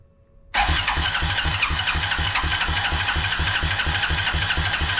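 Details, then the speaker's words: Suzuki King Quad ATV (owner thinks a 300, 1995-97), left outdoors for years. After the fuel pump orientation and lines were corrected, it fires at once and runs on its own fuel pump for the first time with a steady, even single-cylinder beat. "that's running on his own fuel pump for the first time oh lovely very nice yes ha super excited all right this is working"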